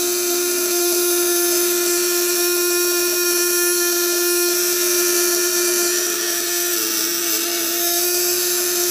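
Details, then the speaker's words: 12V 1.5 kg contact-breaker (platina) shock unit on a load test, with the breaker tension set loose and only slight pressure: an even mid-pitched buzz with rough edges, not yet sharp or shrill. Turning the adjuster right tightens it and makes it smoother and shriller. "Ini masih Los ya Los nah ini udah ada ada tekanan cuman dikit nih kita lihat ya suaranya solusi Los suaranya lulus banget"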